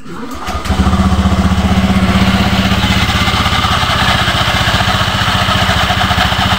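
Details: Honda Beat FI v2 scooter with noisy CVT (pang gilid), previously quiet: starts and settles into loud, rattly idle with steady quick beat; drive-side noise source not yet found, cause suspected, not confirmed.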